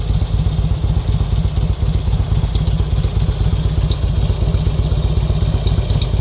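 Lumpy V-twin idle with a steady low rumble and a light clatter riding on each beat; something's off, but the cause can't be pinned down.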